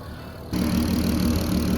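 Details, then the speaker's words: VW Golf MK5 R32 VR6 turbo build, about 400 hp, on base map after about four miles of first drive: even steady idle with light quick ticking from noisy injectors; idle sounds healthy. "I've only done about four miles in it idle's lovely drives nice comes under boost"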